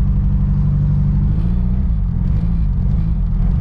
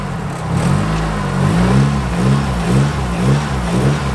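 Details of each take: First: Nissan S13 200SX petrol engine idling like absolute dog, lumpy and uneven with stumbling exhaust beat, running on three cylinders; one cylinder dead. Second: Nissan S13 200SX after soldering the number one cylinder wiring fault and refitting the connector: revs blipped up and down cleanly with no stumble or popping, misfire fixed, firing on all four cylinders.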